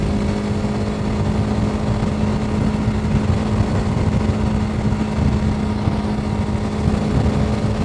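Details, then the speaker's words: TVS Apache RTX 300 at about 100 km/h after roughly 73 km of riding, heat manageable: a steady, loud engine drone with a constant low hum under wind roar; engine noise heavier than expected, source not pinned down. "Bike noise అయితే చాలా హెవీగా వస్తుంది."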